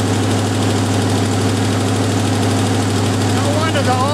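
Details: Jeep M715 army truck, fuel injection removed and converted to carburetor, old cold start; even low petrol idle with a steady beat, no misses or clatter; normal idle.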